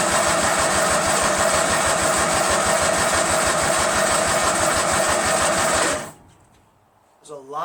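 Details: Craftsman LT1000 lawn tractor, freshly rebuilt Briggs 46 opposed twin on break-in oil, first start on choke with carb cleaner: catches, runs about six seconds, then cuts out abruptly; owner suspects no or bad gas, carburetor needs cleaning.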